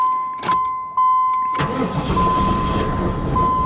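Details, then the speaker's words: 1994 Pontiac Firebird Trans Am, on a booster pack after 5 gallons of gas were added: door chime beeping, then steady cranking without firing yet. The no-start was simply an empty fuel tank. "Are you serious? It was out of gas. It was just out of gas."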